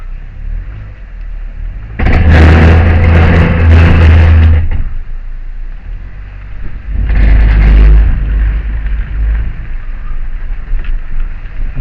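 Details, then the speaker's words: Honda Fit: loud, rough grinding bursts over a low rumble when pulling forward after reversing out of the garage, then fading; feels like the right side or brakes are locking up; rotors checked tight; cause unknown. "once she gets past that she's okay so it's after I back up and go forward I don't have a clue what this is but it sounds bad"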